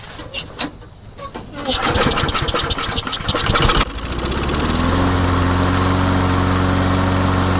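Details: Craftsman mower, customer said it wouldn't run: a few rough pulls and sputters, then it catches and settles into a steady, even putter; starts and runs healthy.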